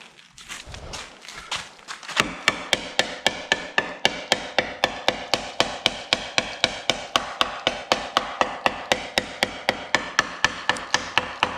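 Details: Rear subframe of a 2004 Mazda 3 winter beater, heavily surface-rusted, hammer tap test: sharp, evenly spaced ringing strikes about four a second, no dull thud; frame still solid.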